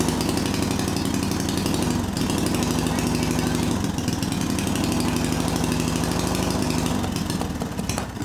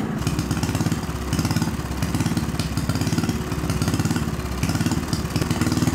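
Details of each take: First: Small see-through single-cylinder turbo engine newly fitted with Amp-EFI, running on pump gasoline: starts, runs choppy and uneven, then dies; owner found spark energy fried the crankshaft position sensor, so ECU saw no crank signal. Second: Small see-through single-cylinder turbo engine on newly adapted Amp-EFI and pump gasoline, lightly tuned: quick, steady low chugging beat with no misses or surging; runs better than on carburetor, though turbo holds much oil.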